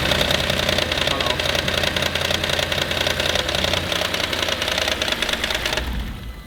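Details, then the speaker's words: Audi RS6 (1150hp build) after head gasket repair, idling cold, slightly high: fast, busy metallic ticking about three per second over idle; top end rattle, owners suspect dry tappets or hydraulic lifters, unconfirmed. "Well, yeah, it's the top end rattle, but what the top end rattle is, I don't know. Tappets? Are they hydraulic lifters?"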